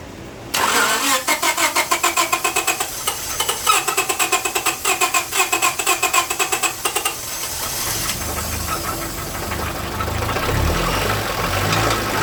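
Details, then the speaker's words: 1998 Honda Civic 1.6 VTEC that stalled on the highway, started with the accelerator pressed: a loud, regular knock around four per second over the idle before it fades. A failed rod or excessive rod clearance, and the engine needs replacing. "But yeah, it's assuming that I can't rotate it backwards, but that definitely was a rod that gave way or excessive clearance caused it."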